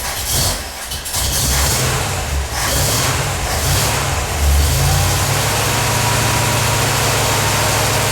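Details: 1977 Corvette first start after over 6 years, fresh super unleaded, leaking fuel filter gaskets snugged: catches, flares, then settles into an uneven lumpy idle with a wavering beat; rough idle, fuel leak remains, owner suspects an old hose.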